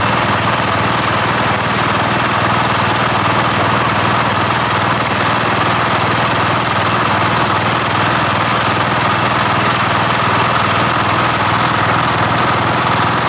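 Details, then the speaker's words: Cub Cadet 1015 with 32-inch mower deck, after replacing the double-pulley bearings with 3D-printed spacers added. Even engine drone with the deck spinning steadily underneath and no squeal or rumble from the pulleys: the deck is running smooth and quiet. "managed to mow with this mower a few times since I changed those bearings, and so far they've been nice and quiet and working smooth."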